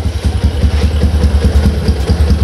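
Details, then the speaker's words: Old Yamaha Jupiter MX motorcycle after repair of stuttering and hard starting, cold morning: starts on the first press and idles with a steady, even low thump with no misfires. "sekali tak starter langsung hidup dan enak temen-temen enteng langsamnya juga enak"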